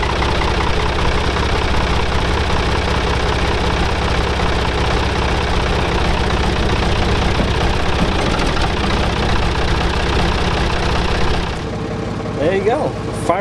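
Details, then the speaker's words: Old Ford 555 backhoe diesel idling just after a cold start after sitting overnight; steady, even clatter with no misses or stumbles, fairly quiet for its age; sounds healthy. "right up and runs nice and smooth and even fairly quiet for what it is so this thing sounds nice and healthy"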